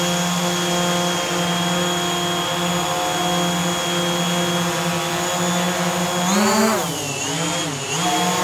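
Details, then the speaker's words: DJI Mavic Air hovering on Master Airscrew stealth propellers: a smooth, steady buzzing hum that dips briefly while manoeuvring, about as loud as a Mavic Pro on low-noise propellers. Normal quiet hover. "Okay, so the Mavic Air with the Master Airscrew on, about the same volume as the Mavic Pro with the low-noise propellers on. So, pretty impressive."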